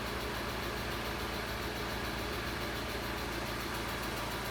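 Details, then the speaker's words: Barn-find Alfa Romeo GTV Spider, standing for many years, idling after fault codes were cleared: a steady idle with light, fast valve-train ticking that has yet to calm down; sounds like the hydraulic lifters are still filling with oil. "Still waiting for that ticky noise to calm down a bit."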